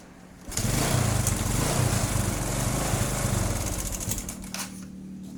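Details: Honda Supra X 125 / Karisma motorcycle blowing heavy white exhaust smoke: small single starts and settles into a rough, uneven idle with loose clatter; suspected scored cylinder bore and piston, worn rings or hardened valve seals burning oil.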